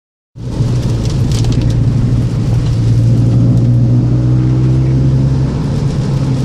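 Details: Gen 7 Toyota Celica with aftermarket exhaust: deep steady exhaust drone with a fast irregular, really loud knocking underneath while revving, occurring when it rains or after driving through a puddle; owner unsure if the exhaust is the cause.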